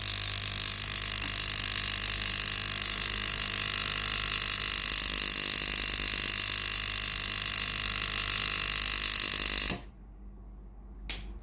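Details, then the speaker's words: Philips GC7620 steam iron with no steam: water pump powered directly gives a steady buzzing hum for about ten seconds then cuts off, but no water comes out; hose not clogged, pump faulty, pump replaced. "เห็นไหมครับได้ยินเสียงปั๊มน้ำทำงานแต่ไม่มีน้ำออกมาฝั่งนี้นะครับ"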